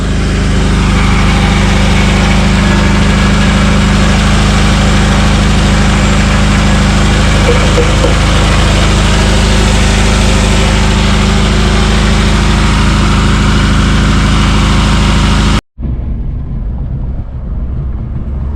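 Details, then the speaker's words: 1997 Honda Odyssey F22B6 four-cylinder idling after valve cover gasket change, no oil leaks: loud buzzy metallic exhaust rattle over deep exhaust drone, exhaust needs fixing. "kind of get that exhaust fixed that's a terrible rattle I'm sure you could hear it looking at the motor"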